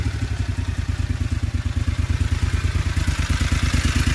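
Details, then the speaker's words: John Deere XUV 625i Gator with a rough-running and misfire complaint, during diagnosis with throttle position sensor and stepper motor testing: even firing with no skips; the engine now idles smoother. "notice how we're already running smoother"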